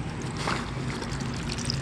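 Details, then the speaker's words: Solar-powered DIY aquaponics pump starting as the sun reaches the panel, with the panel only half in sunlight: steady gurgling and trickling of water over a low, even hum. Water flow is good. "in fact the Sun just now started touching the panel and I can hear the water gurgling over here"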